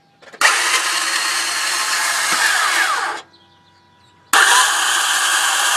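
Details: 2004 Toyota Sienna LE: two bursts of high, dry whirring with no engine turning over or catching between them; the starter is bad.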